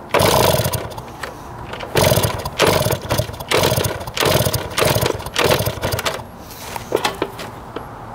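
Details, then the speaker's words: 1971 Yamaha JT1 mini enduro, stored 30 years, first start attempt with spark, fuel and 133 psi compression confirmed: repeated short spluttering bursts that die out; exhaust clogged with mouse droppings or what looks like poison. "that is nasty it was clogged the exhaust with a bunch of mouse turds our poison it looks like almost"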